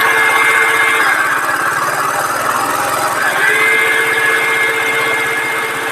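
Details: Radiator fan running with the engine coolant temperature sensor socket unplugged at idle, showing the fan circuit works; steady humming whir without grinding or ticking; owner suspects the coolant temperature sensor is the fault.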